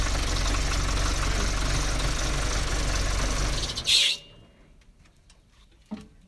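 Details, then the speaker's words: John Deere 310C backhoe diesel after fuel filter fix for loss of power: steady even clatter, no stumbling or hunting, then shut off; running cleanly with full power. "the tractor is running well again it has full power we're able to sift through our dirt so it seems as though that was the problem"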